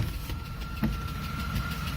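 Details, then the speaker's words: 2004 Chrysler Crossfire V6 idling warm after hard driving; a faint, quick lifter tick sounds over the rumble along with a thin steady whine from a worn alternator bearing, and the lifter will be replaced. "two noises the tick-tick-tick tick-tick-tick is the lifter the a noise is the the alternator bearing"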